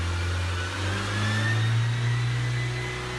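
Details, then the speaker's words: Fiat Freemont after repair of under-engine noise that appeared when revved above about 2000 rpm: engine revs up and holds a smooth, steady drone with no bottom-end knock or rumble; noise gone. "e agora pode ir fazendo um barulho nada nada vixe se eu fizesse isso antes aparecer aqui"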